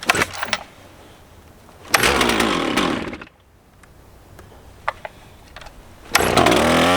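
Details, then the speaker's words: Stihl 044 Magnum chainsaw, revived after sitting for years, with a 20-in Oregon bar and freshly sharpened chain, cutting small wood: crisp two-stroke snarl revs cleanly in short bursts and returns to idle; normal running. "I'm super psyched about this saw. This thing rips. I know I was cutting some really small wood with it."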